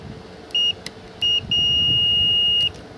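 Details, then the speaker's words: Car ECM board on the bench, multimeter on continuity range with one probe on ground: a steady high beep shows the board's 5 V line shorted to ground, with shorting found at several ICs the 5 V feeds. "ठीक है, और यहाँ पर आ रही beep की आवाज़। तो इसका मतलब ये हो गया कि ये 5 वोल्ट लाइन शॉर्ट है इसमें।"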